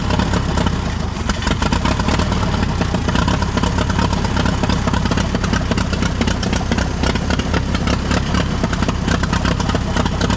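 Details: Allis Chalmers tractor, believed late-1940s WC, possibly 6-volt positive-ground system, first run after roughly 15–20+ years sitting: rough-edged but steady idle with even beat, no knocks or grinding; normal idle.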